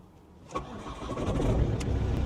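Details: Old Ford Mondeo diesel with over 400,000 miles, bought blind at auction, coolant checked; brief crank, then it catches first attempt and settles into a rough, steady rumble within a second; cold start.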